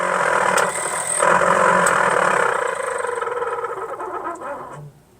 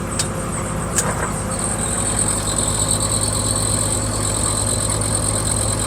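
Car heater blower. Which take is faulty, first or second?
first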